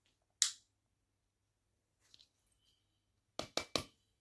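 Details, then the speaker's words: Philips krypton 75 W bulb with marks on the frosting, shaken by hand: single sharp clink, a pause, then three quick light tinkles of loose bits inside; the filament is broken and the bulb is dead. "non mais là on entend typiquement du bruit donc là avis le filament est entier dedans là ou peut-être pas je sais pas"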